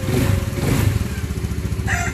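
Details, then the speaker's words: Motorcycle just after an oil change with Shell oil, kick-started: even, steady single-cylinder idle after rpm dropped normally, smooth regular beat with no ticking or knocking; rooster crows nearby. Normal idle. "So, kita nyo, nag-revolution kagad. Tapos, normal bumaba yung RPM niya. Tapos, ang smooth na ng andar."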